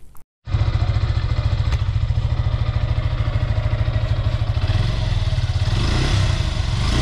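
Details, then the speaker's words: 2020 Suzuki Gixxer FI ABS single-cylinder motorcycle after a second service in which the tappets were adjusted for a tappet noise; it idles evenly and revs slightly, with no light ticking over the exhaust beat. "আচ্ছা guys তাহলে তো শুনলেন যে tappet adjust করার পর এখন sound কীরকম আছে"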